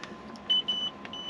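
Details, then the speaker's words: 2015 LPG motorhome fridge switched to battery mode with engine off: several short high-pitched uneven beeps warning it won't run on battery until the engine runs on the alternator; works fine on gas. "now you see that I've selected battery and that won't work on battery the only sound that will if I start the engine now it will then run off the battery or off the alternator so that's the indication you'll get"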